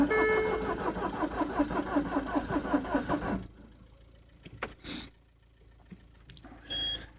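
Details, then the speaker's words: Citroen C5 diesel, frozen in winter on summer diesel, jump-started with 600 A cables: starter cranks slowly and unevenly, about three beats a second, for three seconds without firing; glow plugs believed working. Cold crank no-start. "Don't crank it too long. You could burn the starter. I think glow plugs are working."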